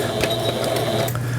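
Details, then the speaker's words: Japanese-market Singer 7430 (AC 110V) sewing machine, repaired after being run on 220V burnt its capacitors and fuse: steady whir with light regular needle clatter sewing zigzag, reverse button working, no knocks or binding. "예 후진 버튼 정상 작동되고 있고 요게 이제 지그잭 패턴이 되겠습니다 지그잭 바느질 되고"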